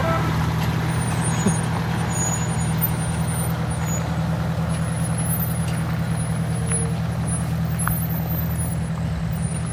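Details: Detroit Diesel 8V92TA two-stroke V8 in a Wanderlodge bus, fired up after blower seal and gasket repair and a tightened radiator hose clamp: deep, steady drone with an even beat, no knocks or misses, faint air hiss; healthy normal idle.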